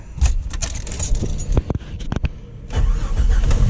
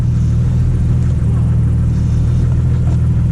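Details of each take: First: Jeep YJ: after startup, a steady low drone over the idle until it cuts off; the old brake booster is totally shot, to be replaced with a dual-diaphragm GM truck brake booster. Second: 1989 Jeep YJ after a GM truck power brake booster swap: a steady, even low engine rumble, and the earlier jet-engine vacuum hiss is gone, so the booster seals fine; the pedal still goes to the floor because the brakes are not yet bled.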